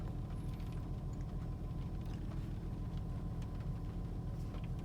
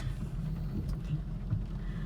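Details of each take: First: 2004 Honda Pilot idling after replacing Bank 1 Sensor 1 oxygen sensor (P0132) and clearing codes: steady, even low rumble, no stumble or misfire; rough idle and random misfires gone. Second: 2004 Honda Pilot after replacing the Bank 1 Sensor 1 oxygen sensor (P0132) with the check engine light not yet cleared; low idle with an uneven, lumpy, surging beat, still running rough; it ran fine once codes were cleared.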